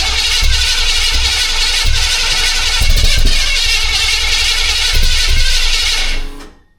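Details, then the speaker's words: Canadian GMC 9434 1-ton truck, old V8 at first start after restoration; loud ragged cranking with sharp pops every second or two, backfire through the carburetor setting it alight, distributor timing suspected off. "Yeah, we've getting pre-ignition. Oh, carb's on fire. Carb's on fire."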